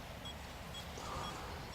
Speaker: but as you can now here there is no more pipng when it is very high then you can hear the beeping this is a warning that it is too high